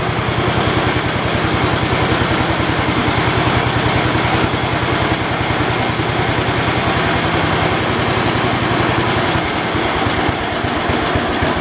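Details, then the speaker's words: 1972 Homelite T10 tractor engine, only running on choke: uneven lumpy chugging, irregular firing, rough struggling note; owner thinks it is getting too much fuel and tries easing off the choke; running rich on choke. "i'm trying to get it to look like it's being choked or start blowing smoke that way i can see that now it's getting too much fuel if i let off the choke maybe it'll help relieve that problem"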